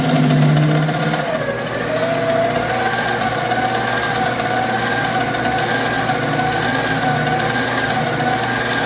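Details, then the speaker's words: 7x14 two-speed mini lathe, stock motor, cutting with lead screw engaged: whining drive wavering up and down under rough rattling chatter; gear chatter and the junk stock motor hunting for speed, smelling of smoke. "So the chatter you hear is the gears, and the speed going up and down is the piece of junk motor, and I can even smell it smoking."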